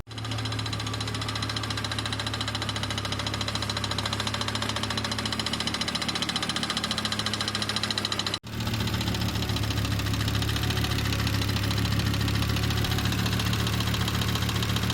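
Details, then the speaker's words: Volvo 850R five-cylinder with sputtering problem, throttle mashed before fully warmed up: loud fast ticking knock about three to four per second at idle; cause unconfirmed, later fixed by replacing ignition wires, rotor, cap and distributor. "And then I started hearing this really, really bad ticking noise that I'll play right now."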